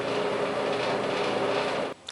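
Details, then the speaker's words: Clothes dryer after repair, felt padding glued back in and reassembled: smooth even whoosh and hum of the drum turning, no scraping, thumping or squeal, sounds like new. "so there's the other piece of felt padding glued in then go ahead and just put everything together sounds like new"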